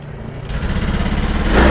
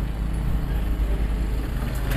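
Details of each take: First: Honda Beat Pop scooter after fuel pump repair and ECU reset via DLC socket: starts and revs smoothly and climbs steadily with no stumbling. The earlier hesitation (brebet) is totally gone; the cause was low fuel pump pressure. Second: Honda Beat Pop scooter before repair: uneven idle turns rough and flat when the throttle opens, hesitating and then stalling. The cause was low fuel pump pressure, a weak pump.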